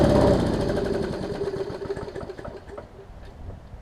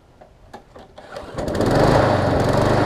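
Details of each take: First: That one doesn't even sound like it needs a carb kit or anything. It sounds like it runs pretty good. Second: Small-engine mower, pull start: picks up to slightly uneven hunting beat, runs but not fully smooth; owner suspects swollen carburetor needle and seat starving fuel, or restricted fuel line, possibly fixed by carb swap.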